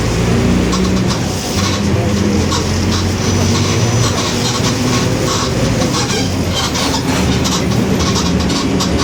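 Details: 2021 Mercedes-Benz OF-1721 BlueTec 5 city bus, Marcopolo Torino S body, onboard while driving: steady low drone with tones gliding with road speed over cabin and road rumble; differential whine.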